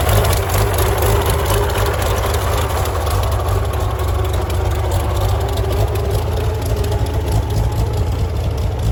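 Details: Farmall tractor (1949 H or 1968 656, unclear which), troubled by fuel problems and cutting out; carburetor adjusted after it hadn't run over 30 seconds, coolant was 2.5 gallons low. Low, steady rumble with an even beat, no surging or misfire, smooth idle; normal running.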